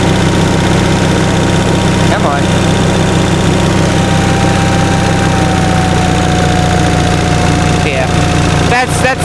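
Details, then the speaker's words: 1945 Onan generator after fuel pump rebuild, 300 W load applied: steady thumping with whine sagging in pitch as speed drops under load; owner suspects governor sensitivity out of adjustment. "hey i want to go through and adjust the sensitivity on that that seems kind of out of whack it shouldn't have bogged down so far"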